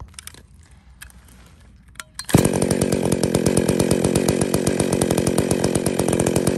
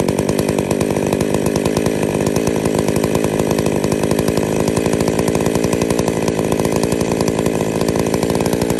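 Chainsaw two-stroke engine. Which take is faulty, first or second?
first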